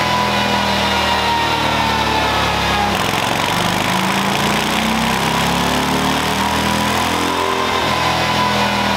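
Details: Stock 2024 Harley-Davidson Low Rider ST V-twin on a dyno base run before a stage 2 build: a loud continuous pull with a smooth roar and faint whine, no knocks or stumbles. Healthy; best stock run was 89 hp and 111 ft-lb.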